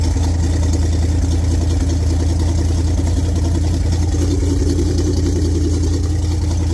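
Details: 1974 Lund Tempest II GT jet boat V8, newly bought and finicky to start. Deep, steady burble with an even low rumble and no knocks or misses; the engine idles smoothly.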